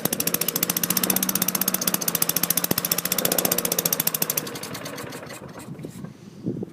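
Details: 2003 Craftsman mower, Tecumseh 4.5 HP engine 143.034502, choke limited by an added screw; fast sharp single-cylinder popping runs evenly about four seconds then falters, slows and fades; rough running, won't hold speed before governor adjustment.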